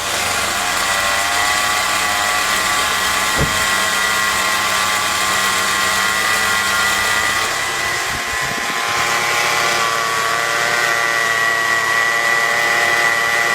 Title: Noisy bearing replacement